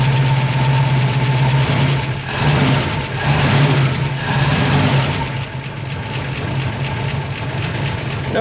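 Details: Revived abandoned small-block Chevy V8, first start: low, uneven rumble that sags and picks up, barely holding idle; a tick heard, suspected valve train or alternator; rough idle after first start.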